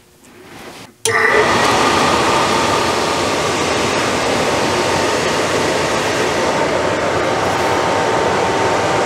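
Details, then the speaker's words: Suburban RV furnace, new blower fan motor replacing one that barely turned: after a quiet second it spins up to a smooth, steady whoosh with no wobble, rubbing or surging. "there's the sound the new one makes and here is the old one that fan is just barely turning"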